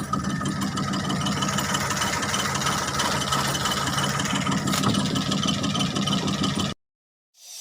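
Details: Suzuki F6A three-cylinder engine: uneven, stumbling idle with an irregular beat about three per second over a rough mid-pitched rumble; misfire, addressed by replacing spark plugs and high-tension wires and adjusting valve clearance.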